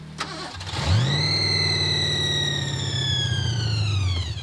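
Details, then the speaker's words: Ford Thunderbird on a winter road trip at about 0°F that died with a massive oil leak: steady starter whirring for about four seconds with no firing. The engine turns freely, so it is not seized; it is suspected to be out of gas. "he's going to try and crank it see if the engine's locked up come on baby don't be seized up"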